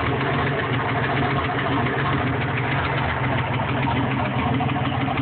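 Steady idle with a fast, even tapping riding over the rumble throughout; a knock or tick whose cause can't be pinned down yet. Cause suspected, not confirmed.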